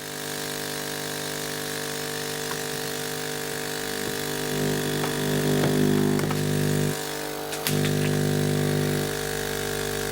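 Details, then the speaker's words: Hailea ACO-318 45 W laser air assist pump with a length of garden hose pushed into the top: steady, even hum with the deep bass drone gone and a few light handling knocks; the pump runs smoothly and quieter. "that has made the sound softer and if I try a long piece of Hose I don't think it makes any difference"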